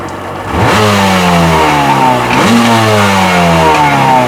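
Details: Sea-Doo XP 720 two-stroke, freshly rebuilt, driveway test on flush hose with pump disconnected; idle snaps up cleanly on each throttle blip and settles back evenly: normal revving, running strong.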